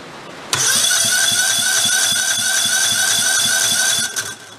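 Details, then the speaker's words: Old Kohler Command engine that failed, cranking during teardown: starter whine with quick light compression pulses about four a second, spinning too freely; compression way too low, heavy carbon suspected on valves. "probably is just as much carbon on that side as there is on the other that's way too low"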